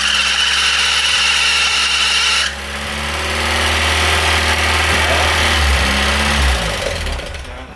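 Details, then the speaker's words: Golf Mk1 with swapped-in 2.0L 8v on Dellorto DHLA carbs, first start: engine runs as it should but a loud steady high-pitched belt squeal rides over idle. "it sounds like it is running like it should but the belt squeal is very loud and annoying we're quickly going to tension the belt"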